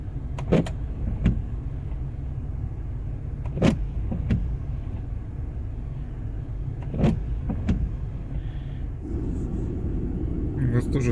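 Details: Car windshield wipers sweep over a low idling hum with sharp scraping judders at each end of every stroke; wipers only a few months old, chatter attributed to wiper causes fixable with simple tools.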